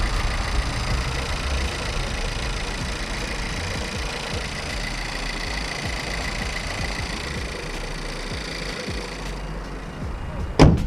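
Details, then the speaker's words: Volkswagen Golf GTE after replacing the high-pressure fuel pump (suspected cause of intermittent engine rattle/knock), heard from under the hood: steady even idle with only normal light injector ticking, no rattle or knock; noise gone for now. "the noise was from listening from under the hood is very good meaning it's not there"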